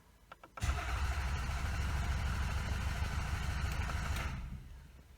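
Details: Toyota Camry cranking with the EFI fuse pulled: steady low chugging for about four seconds, never fires because no fuel is injected; crank, no start.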